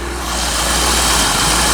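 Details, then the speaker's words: 1985 Chevrolet Corvette C4 after fixing poor negative battery cable connection that caused no power, no start: steady even idle, smooth low rumble, no knocks or misses; battery charging, oil pressure and rpm good; normal idle. "batteries charging oil pressures good RPM's are good unbelievable"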